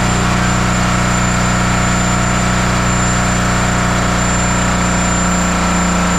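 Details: 1977 Peterbilt 359 diesel started after sitting 20 years: loud, steady roar held at high revs with no throttle change; the diesel running away out of control.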